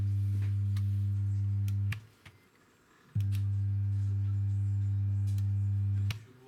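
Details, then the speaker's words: JetBalance JB-471 speaker system right after switch-on: loud steady 100 Hz drone from the subwoofer, confirmed by spectrum analyzer; mains hum defect before repair. "Сразу после включения из сабвуфера раздаётся. Гул частотой 100 Гц."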